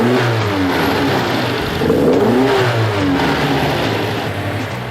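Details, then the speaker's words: 1975 Toyota Celica Liftback 2000GT, freshly rebuilt engine after restoration, idling stable around 1,000 rpm: smooth rev rising and falling with no rattle or knock, pulling up cleanly and settling back evenly. "ただおとなしいってだけじゃなくて、やっぱ回転数上げていくとねやっぱいい音しますから、ちょっと回転数上げますよ。"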